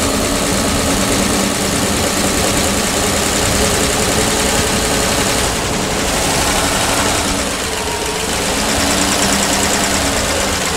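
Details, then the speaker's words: PAZ-672 bus engine idling after valve adjustment with valve covers on: loud, steady, even rumble with no tapping or knocking; the earlier knock is gone. "Не знаю, слышно или нет разницу, но стук пропал."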